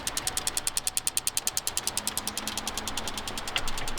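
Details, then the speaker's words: Cadillac CTS-V with Magnuson 2650 supercharger and port injection kit, Microsquirt ECU repaired after bad injector driver on second channel: crisp, even injector ticking about ten per second during output test mode; normal fuel injector clicking. "so the second channel was bad so we set up all of our parameters and hit start and we can hear the clicking we are back in business"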